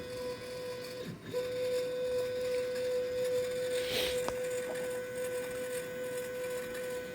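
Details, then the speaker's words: Mechanica Cortini CNC lathe retrofitted to Mach 4: a steady mid-pitched whine with a faint regular pulse about 2.5 per second while the axis moves; rough motion, cause unknown. "something sounds not great there right now but we'll figure that out"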